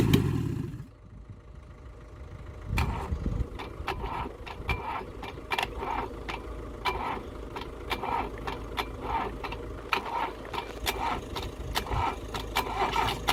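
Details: Rebuilt LADA RX engine (possibly 1.8L) with a new "sport" camshaft, no exhaust beyond the manifold, only one of three fitted spark plugs connected and the fourth plug out. An uneven, lumpy idle with sharp irregular pops: running on one cylinder, carb, valve and ignition still unadjusted.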